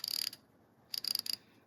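Two quick bursts of crisp, even clicks, about eight each, with no skips or grinding: the ratchet pawl is engaging cleanly.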